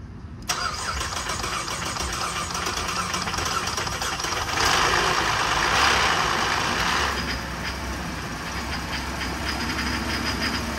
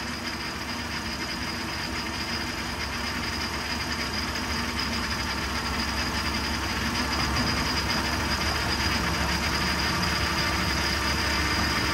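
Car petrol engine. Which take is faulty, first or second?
first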